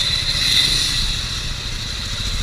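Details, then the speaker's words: Scooter ridden hard at steady speed: loud constant high whine and rough clatter over the engine from the CVT side; worn drive belt close to breaking. "Umingay yung panggilid"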